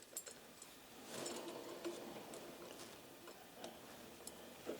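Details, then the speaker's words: 1990 Specialized Sirrus road bike, crank spun by hand after fitting the pedals. Faint, uneven light ticks, about three a second, from the bottom bracket, which doesn't wobble. The owner suspects it is dry and needs grease, so it comes out for service. "That bottom bracket, it sounds like it needs some, it's not wobbling at all, but it sounds like it could use some grease."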